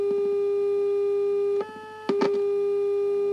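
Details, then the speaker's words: Residual steady whistle near 400 Hz, briefly dropping out, heard on an unmodulated 90/100 MHz FM Colpitts oscillator carrier even after power to the 400 Hz audio-frequency modulating oscillator board was removed; unexplained leftover tone. "pero fíjate qué curioso a pesar de haber quitado el oscilador de baja frecuencia se escucha todavía como un pitido"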